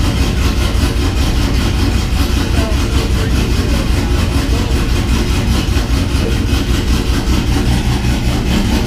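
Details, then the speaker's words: 6.0 V8 swapped Cateye truck with BTR Truck Norris cam, idling after failed lifter (cylinder one driver's side) replaced with Morel drop-in lifters: deep steady rumble with even pulse, no ticking on top, normal idle. "the truck's super quiet now so I'm actually going to let you guys hear it there's no lifter noise up front truck sounded good"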